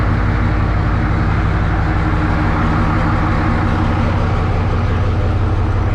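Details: 1963 Diamond T 931-CN cabover semi diesel, first run after sitting one to two years: deep steady idle, even low thrum, no knocks or misses; running healthy.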